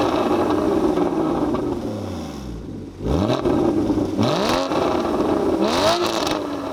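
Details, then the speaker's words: Porsche 981 Cayman GT4 with a valved exhaust, valves open: engine catches and settles, then three sharp clean blips rise and fall smoothly with no knocks or rattles; healthy start-up and revving. "So that was with the valves open. It's got a valved exhaust system."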